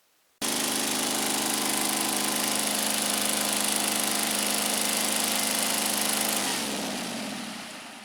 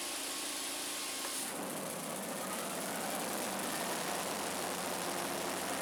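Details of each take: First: Scag Turf Tiger 61 mower, Kohler CH25S twin engine, with one coil wire pulled during diagnosis: steady buzzing run with slightly uneven beat, then winds down and dies; the other cylinder was dead due to a failed ignition coil. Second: Scag Turf Tiger 61, Kohler CH25S engine, after replacing the bad ignition coil and setting air gap with a 0.010 in feeler gauge, spark on both sides: steady even drone as the blades engage under load, no cut-out.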